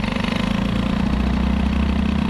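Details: Moped with a BOOST air-cooled cylinder head during running-in: loud, rapid, even engine beat with a harsh buzzy edge at steady speed. The engine is excessively noisy, and the source is not pinned down.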